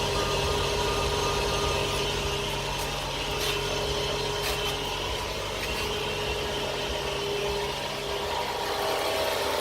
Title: F10 535i weird noise - problem part 1